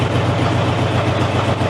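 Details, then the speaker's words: Dodge Dart with a 351 V8 with a spun bearing and earlier bad rod knock, started on starting fluid: deep, even idle rumble with no audible knock at this moment. "I don't hear a rod knock either. That's kind of funny. Okay. Wait, where did the knock go?"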